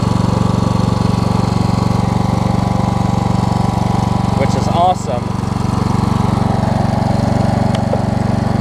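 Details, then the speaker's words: Toro Z5000 zero-turn Kohler Courage V-twin after adjusting a tight intake valve and the choke: steady, even throb at fast idle, no misses or knocks; runs clean and healthy. "well guys it didn't occur to me that i probably haven't or this thing probably ain't been running a while and just maybe had some oil build up in the muffler it's running great now though"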